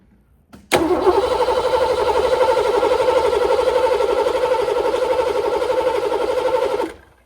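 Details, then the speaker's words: Ford Mustang 5.0 with a newly built carburetor fitted, accelerator not yet hooked up: even starter cranking about four beats a second for six seconds, never catching, as fuel has not yet reached the carburetor. "all right y'all let me check it see if the fuel up here yet probably not nothing up there"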